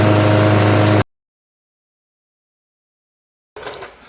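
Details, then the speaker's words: Craftsman mower, 163cc Briggs & Stratton, that died when hot: steady, even drone with no surging or misfiring; ran about 12 minutes with no leak or shutoff; normal running. "right after letting the lawnmower run for about 12 minutes there are no there is no sign of leak um looks good and the mower did not shut off as well"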